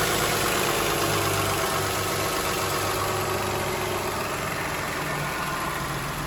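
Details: 2007 Toyota Highlander 3MZ-FE V6 at idle with a quick, fairly even light rattling knock about four times a second; source unknown, owner wonders about an exhaust leak.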